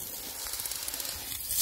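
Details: Central heating pipework pressurised with tracer gas, leak found under a suspended floor where a pipe rested on brickwork: steady high, sharp hiss; gas escaping from a pinhole leak.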